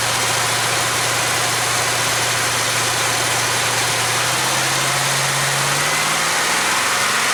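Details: Chevelle V8 whose oil pressure warning light never comes on, on a mechanical gauge test reading 44 psi at 730 rpm idle rising to 55 psi at 2500 rpm: an even low idle rumble climbing smoothly in pitch as revs rise; running cleanly.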